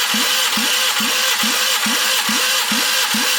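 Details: Toyota AE86 being revived, cranking before first start, compression readings mostly 200–210 with one cylinder near 120: starter cranks with even, punchy pulses a bit over twice a second, each stroke alike; compression sounds even across cylinders.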